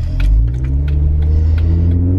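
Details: Interior sound of a Jeep Unlimited 4-door V6 3.6L with Magnaflow 15117 Competition Series exhaust after a new tailgate was fitted: deep even exhaust rumble swelling on acceleration, normal cabin sound with no rattle.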